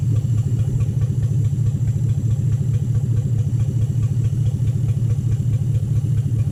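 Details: 2007 Toyota Hilux Vigo 4x4 with a swapped 3UZ Toyota V8 and manual gearbox, idling after a suspected lost coil on one side was fixed, right-hand side now running properly: a deep, even burble with a steady rhythm and no stumbles or dropped beats.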